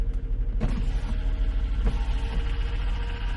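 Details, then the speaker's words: 2021 Jeep Grand Cherokee with code P105C (variable valve lifters stuck low), during a VVL service test at about 2,000 rpm: light, quick ticking over a steady engine drone, suspected lifter tap; cylinder 1 is suspected worst. "I actually got the engine revved up to about 2,000 RPM. There's a what sounds to me like a little bit of a lifter tap going on."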